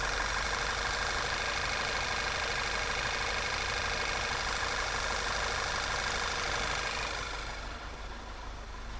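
Idling engine with a thin, steady high-pitched squeal riding over a busy, hissy running sound.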